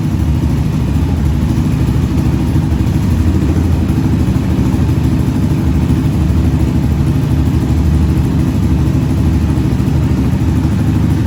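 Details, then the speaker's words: 2020 Yamaha Raptor 700 with a swapped engine after valve adjustment (valves had been far too loose); steady, even single-cylinder thump at idle with no valve ticking. "now you can see the valves is adjusted perfect they don't got they don't got too much play so it's not going to have that they're tapping the ticking noise coming from it"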